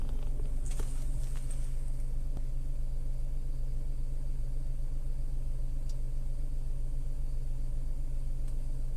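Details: Tata Altroz naturally aspirated petrol, around 12,138 km, recorded inside the cabin: low, steady idle hum with smooth even pulse and no ticking or rattles; normal idle.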